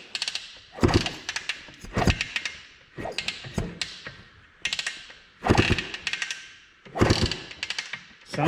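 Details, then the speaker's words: 1981 Honda ATC250R three-wheeler, a barn find that had sat in a scrap pile with a seized engine, kicked after a little oil: heavy thumping kicks about every second and a half, each with a firm push back; good compression, kickstarter works. "like it has compression. Kickstarter works."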